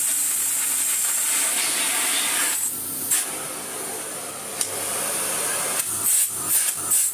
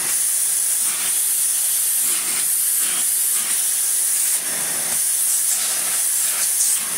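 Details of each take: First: 1990s Philips Blue Magic Silence TC739 vacuum cleaner with its hose end taped back on: a steady, even rush of airflow with a high hiss and no rattle or pitch wobble; the motor pulls strongly and runs normally, though the LEDs still don't light. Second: 1990s Philips Blue Magic Silence TC739 vacuum cleaner after reassembly with a HEPA-flow bag: a loud, steady high-pitched hiss over the motor's rush; air leak from an air hole, owner suspects something was refitted wrongly during reassembly.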